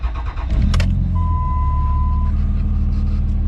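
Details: Cummins diesel Ram after new batteries and retorquing the exhaust with a moved gasket to fix a leak, not started in a while: the starter cranks briefly, it catches at once and settles to a steady, even idle with no leaks, knocks or engine lights.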